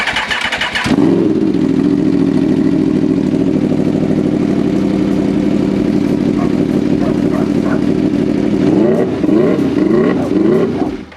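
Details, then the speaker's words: 2014 Aprilia RSV4 after reconnecting disconnected intake air pressure sensor hoses, service warning still showing: it starts to a loud idle that won't settle, and revs hunt up and down in uneven waves. One sensor hose is still unplugged; cause unconfirmed. "Okay, so it's still doing the weird revving thing. Wow, that is loud."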